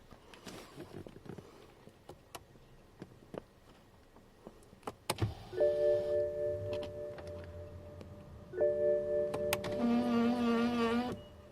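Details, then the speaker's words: BMW E60 550i electric steering column adjuster under the wheel: two bursts of squeaky motor whine as the column moves up or down; WD-40 on both bolts did not yet fix it, other causes being investigated. "so here's the situation this is the steering wheel column underneath that's making the noise"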